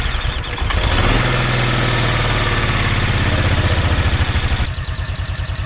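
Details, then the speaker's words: 2004 Kawasaki Mule that sat for years, first run after getting it going: small engine idles fairly evenly under a sharp, high continuous screech; owner suspects it comes from inside the belt cover, cause not yet found. "it seems to be running and idling pretty good but we have this God awful screeching noise that sounds like a pissed off mouse in there so s sounds like it's coming from the belt"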